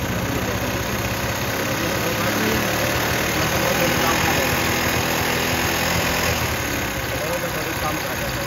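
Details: Motorcycle after replacing the carburettor slide and setting the mixture, petrol mixture screw loosened slightly: small single cylinder putters at a steady, even, smooth idle with no misses; normal idle.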